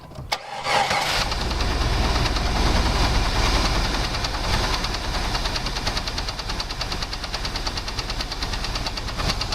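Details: 2001 Jeep Grand Cherokee 4.0 straight six, started after a 10-minute rest: knock about four a second at idle appeared suddenly; oil pressure and level fine, valves checked, belt removed to rule out water pump/alternator; wind on mic.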